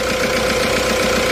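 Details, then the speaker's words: Winter no-start diesel pickup at high altitude in Tibet, jump-started with a booster pack: rough, harsh idle with hard clatter and breathy hiss; severe blow-by at the breather pipe, worn cylinder liners, low compression, needs engine overhaul. "一个是串气，飞机油串气，串气非常严重，这个废气管，那就证明发动机的钢套过剩，压缩比不够，压缩比不够的话，只能大修发动机才能够彻底解决问题。"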